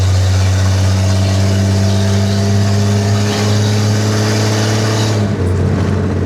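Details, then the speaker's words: 1948 Chevy Stylemaster on a test drive after repairs with a new throttle cable that has no resistance: deep smooth engine note rising and settling with throttle, clean pickup, no hesitation; sounds healthy. "She does sound lovely. The new throttle cable's lovely."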